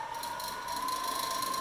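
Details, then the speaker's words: Electric Eel Wheel 5.x prototype spinning wheel, battery powered, quiet high-pitched motor hum with light fast clicking as the wheel spins; unwanted clicking the builder expects to engineer out. "that's really the only sound that comes out of this that shouldn't be and that's something I'll definitely be able to solve"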